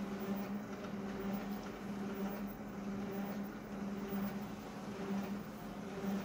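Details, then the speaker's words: Konica Minolta copier running: low-pitched reedy squeak pulsing about once a second over the running hum; source not identified. "now listen to that squeak fossa low pitch squeak"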